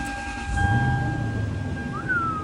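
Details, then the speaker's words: Toyota Sequoia starting after an idler pulley replacement and belt refit. The engine settles into a steady, even idle with no squeal or chirp; a normal, healthy start. "No squeal. No, sounds good. Yeah, it sounds super good."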